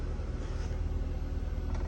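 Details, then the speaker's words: Audi TT Mk1 that only started intermittently, running after the suspected faulty ECU was replaced: steady, even low idle rumble with no misses or knocks; normal idle. "I generally can't believe that is running, and that's all it was."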